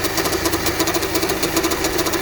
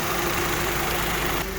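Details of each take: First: Honda at idle with hard steering and clunks when turning left: rough rhythmic ticking and grumbling from worn power steering pump bearings; the pump is not assisting the steering. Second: Honda at idle after power steering pump replacement and system bleeding with front jacked up; even low hum while steering, no whine or clunks: normal operation, previous clunking gone.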